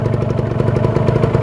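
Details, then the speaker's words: Kawasaki Ninja two-stroke motorcycle, checked cold before purchase, revved above 2000 RPM: quick even popping, steady rhythm, no knocking or rattle; smooth sound indicates healthy piston, ring and liner; normal two-stroke idle. "Jadi ya suaranya halus tanda terlalu kasar ndak kasar gitu"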